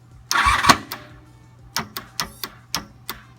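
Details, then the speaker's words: 1988 Honda VF750 Super Magna after draining the tank and carburetors, fresh gas and a charged battery: the starter gives a few sharp halting clunks instead of spinning; owner suspects locked pistons or a piston ring; hydrolocked engine. "sound good right so it just sounded like one of these Pistons or maybe all of them just locked up"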